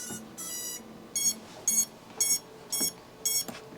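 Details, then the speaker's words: Seven-year-old 110mm racing drone, Spedix 20A ESCs just flashed with Bluejay firmware at 96 kHz PWM, motors 1 and 4 reversed, new T-Motor 1104 7500KV motors: five or six short beeps at different pitches; normal ESC startup tones. "you can hear that it has all different tones now"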